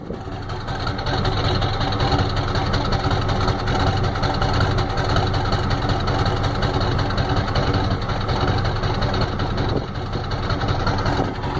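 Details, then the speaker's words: 1993 Ford F-250 7.3L IDI diesel with new injectors, O-rings, return lines and tested glow plugs, good compression, no oil burning; uneven, lumpy idle stumbling about twice a second, shaking badly; misfire, owner suspects injection pump, unconfirmed. "it's got good compression don't burn oil it's really shaking bad as you can see the whole cell phone I got a shake"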